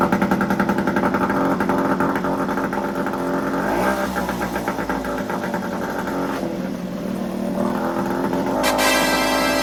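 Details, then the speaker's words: Yamaha 5HP outboard on cooling water: runs steady but idles fast with a busy, slightly uneven beat, owner suspects a dirty carburetor, cooling water flow slow; high idle speed. "Yes, motor running pretty good. Little bit sounds like a carburetor is dirty. We got little too high RPM, but running very well."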